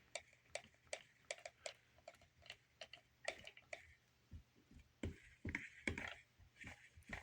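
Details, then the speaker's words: Fan with motorized oscillation, motor disassembled for the first time: faint, uneven dry ticks a few per second as the bare shaft is turned by hand; shaft bearing sounds dry and needs oiling. "I'm going to try to get this shaft oiled though cuz it's it sounds dry."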